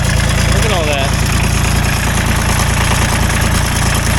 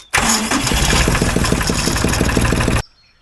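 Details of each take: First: Ford 1520 subcompact diesel tractor cranks for a long time with steady, even compression pulses and won't catch; it runs okay once started. Hard starting from tight valve clearances, and the owner suspects air in the injector lines. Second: Ford 1520 compact tractor diesel after valve clearance adjustment, cold start around 50°F at 5 a.m. with glow plugs, no charger: brief crank, then catches at once and settles into an even clatter at idle; clean cold start.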